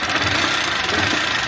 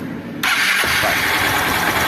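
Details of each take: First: 160 cc motorcycle with a loud engine noise: a thin, fast, tinny metallic rattle over the idle rather than a deep knock; the mechanic diagnoses a worn cylinder kit (piston and cylinder), rocker arms possibly worn too. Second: 160 cc motorcycle with loud engine noise (suspected cylinder kit, rockers), oil leaking and being topped up: catches instantly and settles into quick even idle with no tapping or knocking; noise gone.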